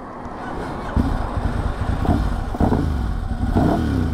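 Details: Ducati Hypermotard 1100 S after a four-year rebuild, being run in: deep, lumpy V-twin beat with crisp throttle blips that rise and settle cleanly, no knocks or rattles; healthy engine, normal running.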